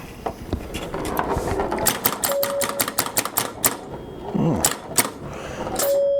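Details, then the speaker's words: 1962 Vaga Bond electromechanical pinball machine under repair: quick irregular snapping clicks with short bell tones; a pop bumper firing crisply and lighting up, normal operation. "nice lively bumper yeah that one lit up"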